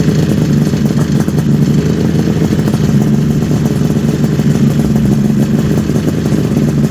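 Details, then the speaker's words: 1974 Kawasaki H2 750 two-stroke triple, first start after 34 years with oil put in the chambers; steady even low idle burble, all three cylinders firing and smoking equally, no misses or knocks; normal idle. "That sounds so good. The fact sounds better than good. Yeah. The fact that all three are smoking the same is a very positive thing."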